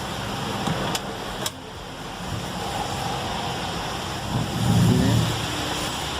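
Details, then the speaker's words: Fiat Freemont at idle: sharp single clunks when shifting between reverse and drive, customer complaint. Noise traced under the car near the wheel to a worn lower suspension bushing. "Ele falou que quando dá ré e vai pra frente, ela dá um cleque. Ó, já deu pra ouvir."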